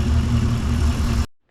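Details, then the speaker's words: Chevy Nomad wagon after first fire, small fuel leak, electric fan not running, temp gauge not working: short stretch of steady even low idle, no ticking or missing, before shut-off; engine sounds good. "Alright guys, overall success. Engine sounds good."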